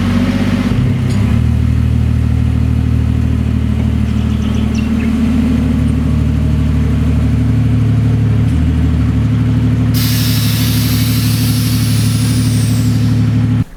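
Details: Ford Falcon (BA–FGX) started just after a fuel filter replacement to check for leaks: the engine catches and settles into a steady, even, smooth idle with no misses or knocks. Normal idle.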